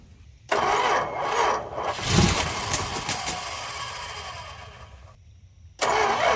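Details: Engine after headers cut off and the exhaust reworked, started on a low battery: cranks and catches into a fast idle with a raspy puffing edge near the headers; owner suspects an exhaust manifold leak toward the back, quieter than before.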